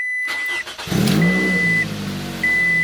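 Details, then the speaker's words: Petrol Scion tC cranks and catches quickly, settling to an even idle with no exhaust rattle after the exhaust rattle fix, over a repeating chime; previously rattled on startup and vibrated at 2,000 rpm. "hear any rattle I didn't hear any rattle so I think we're good"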